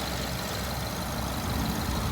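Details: 2011 BMW 550i N63 V8 with 96k miles, recently serviced at a dealer, at idle: loud steady rumble with a faint fast tapping tick. Owner suspects the injectors; unconfirmed.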